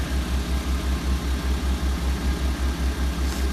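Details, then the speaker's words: 2004 Honda Civic just after head gasket job, idling while warming up, not yet at temperature, heater on full: steady even idle, regular pulse, no misses or knocks; compression sounds good, no leaks so far. "so uh car idles um heater is on blast um temperature hasn't rised yet I don't know if you can hear the compression sounds good"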